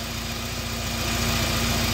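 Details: Engine idling after replacing the drive belt, which had snapped due to a seized idler pulley, plus new pulleys; steady, even idle hum with a faint mid tone, no knocks or rattles, rising gently; running smoothly.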